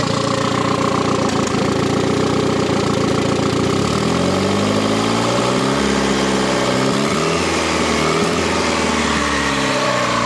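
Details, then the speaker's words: 1.4 MPI turbo engine, first start after reinstalling: steady even idle with smooth drone, brief pitch settle, no misses or hunting; idle normal, the earlier high idle possibly from a hose left disconnected. "Tak voľnobeh normálny, tak ako má byť."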